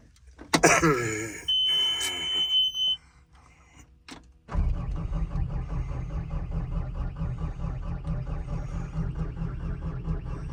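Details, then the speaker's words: 289D3 skid steer with a low charging-voltage fault that shuts the system down: one long steady high warning beep, slow crank, then the diesel idles with a low even chug; low system voltage warning. "the uh when I'm cranking the vehicle up to uh use it at uh saying low voltage system low voltage and uh saying systems low voltage and shutting down."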